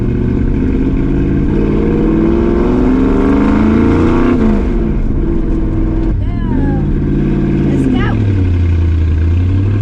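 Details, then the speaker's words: 1965 Ford Mustang 302 V8, about 25 years owned, on test drive after replacing driver-side header gasket to fix exhaust leak; revs up and settles cleanly with no ticking or backfire on lift-off that it had before; exhaust sounds sealed, normal running. "The last time I came there, whenever I did that, it backfired. It was so bad. It's not backfiring no more."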